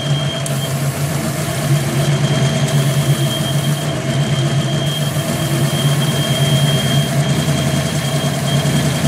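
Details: 5.0 engine with a bad vacuum leak: a steady idle drone with a constant thin, high whistle riding over it.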